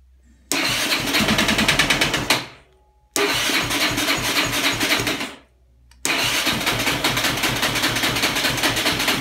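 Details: 2003 Yamaha Raptor 660 cranking in three bursts at about three to four chugs per second, never firing, despite new gas, cleaned carb and tank, valve adjustment, new plug boot and coil, good stator, spark, fuel spitting from plug hole. Cranks but no start.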